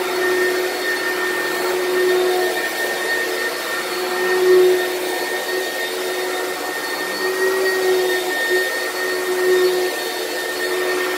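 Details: Used lightweight Oreck upright from Facebook Marketplace: a steady motor roar with a thin, constant whistle on top. The weird noise may come from the brushroll or the fan; the source is unconfirmed.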